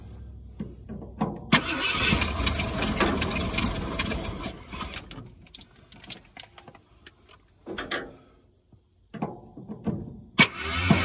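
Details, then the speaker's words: 1978 Ford Bronco Ranger XLT with 400 engine, sitting 20+ years, first start attempt after setting timing: ragged catching and dying bursts, never idles; tries to start but won't run, timing suspected. "I think it might try to run. I think she's gonna try to go."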